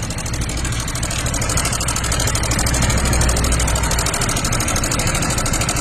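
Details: Honda Click 160 ABS scooter (first lot): heavy, uneven low rumble with coarse mechanical clatter at idle after the oil pump drive gear stripped around 20,000 km, engine stalling while ridden; engine needed rebuilding, gear replaced with black type.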